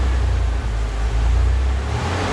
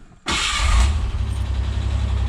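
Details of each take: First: Ford Bronco II 2.9 V6 idling around 850 rpm: deep rumble that surges and sags unevenly with hiccups; owner suspects failing fuel pump, earlier thought power steering load; rough idle, cause unconfirmed. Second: Ford Bronco II 2.9 V6 near-cold start at about 70°F after repairs for idle issues: short crank catches at once into a firm, steady low idle with no stumble; used to rise to about 1,800–2,000 rpm warming up, now smooth, normal.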